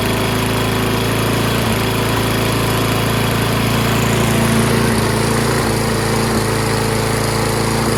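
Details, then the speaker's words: Toro Recycler mower, Kohler XT675 6.75 engine, after cleaning fouled plug and rusty flywheel brake contact, months-old gas in tank: uneven beat with occasional stumbles and a little muffler smoke; rough running, owner suspects stale fuel. "Sounds not as smooth as I'm used to, but it's probably due to the ass gas that's been in there for months."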